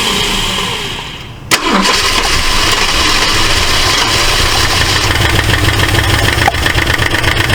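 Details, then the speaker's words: 1968 Ford LTD, abandoned car, first start: catches with a sharp pop, runs rough with ticking and another pop, spitting back through the carburetor; stuck valve or bent pushrod suspected; intake backfire. "it's popping back pretty good sounds like it might have a uh a stuck valve I don't want to run it too much um way it's ticking either that or it's got a bent push rod"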